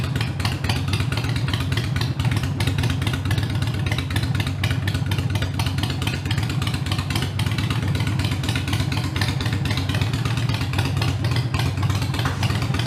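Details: Harley-Davidson Iron 883 around a Sejati Booster setting to reduce engine heat, played for before/after comparison: lumpy V-twin beat holding steady and even with no popping or misses; the engine sounds healthy and smooth.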